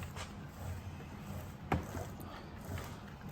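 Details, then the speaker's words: Honda S2000 differential with a rare original Richmond 4.57R ring and pinion, installed with a custom shim and spun on the bench: low, even hum with no gear whine or clunk. Normal quiet differential. "That is a quiet gear set, believe me. When it comes to Richmond, that's just quiet."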